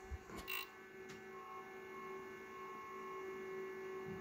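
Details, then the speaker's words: APC Back-UPS BX1600MI stock ADDA fan mounted plastic-to-plastic without dampeners: a quiet, steady buzzing hum with fixed tones, with fan vibration transmitted into the plastic case, loud and annoying despite good airflow. "So you've seen that you you've heard that vibration and how bad it is. Yeah, it's a good fan. Produces a lot of air flow, but it's just too damn loud."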